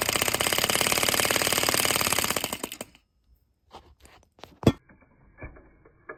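Fast, even popping chatter for about two and a half seconds, then it dies out into a few clicks; the little engine fires and runs briefly.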